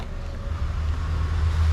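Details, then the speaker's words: Ex-farm Suzuki Multicab just back from a major workshop repair: steady, even low engine rumble with no knocking or tapping. The engine now runs smoothly, where it knocked before the repair. "Ale tak jak mówię, na to co się przejechałem, on całkowicie inaczej brzmi silnik teraz. Już nie stuka, nie puka."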